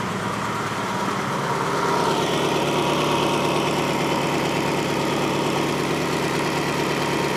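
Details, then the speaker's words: 1954 Ford F600 car hauler V8 after cleaning rich-running plugs and swapping coil pack and plug between cylinders: uneven, lumpy idle with a regular stumble, still missing on one cylinder. "swapping over the coil pack and spark plug so I can see if I can work out where my miss is coming from."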